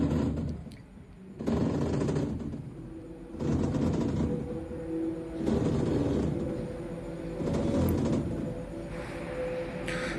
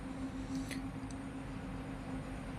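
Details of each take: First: Panasonic top-loader washing machine, customer's video: loud grinding rumble in bursts about every two seconds during the wash cycle but quiet in spin mode, suggesting a noisy gearbox; pulley to be removed to check. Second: Panasonic top-loader washing machine, which had been noisy only during wash (not spin), tested after gearbox replacement: quiet steady hum with no knocking or grinding, running normally after the repair.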